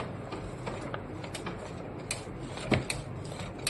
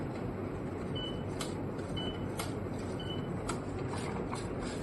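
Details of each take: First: Canon Maxify GX4070 automatic document feeder, about a year old, makes light, uneven mechanical clicks from its paper detector at startup but no confirming beep; it fails to detect the loaded A4 sheet for 8–16 minutes after power-on. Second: Canon MAXIFY GX4070 printer about a year old, whose automatic document feeder fails to detect paper for minutes after power-on; paper fed from the other input instead: short high beeps about a second apart over light feed clicks; paper detected normally.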